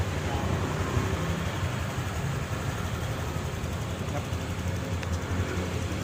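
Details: Honda Click 150i scooter after engine rebuild (new connecting rod kit, piston, rings, pin, head gasket, water-pipe O-rings; original crank bearings): low, steady idle with an even beat, no knocks or rattles; healthy and settled.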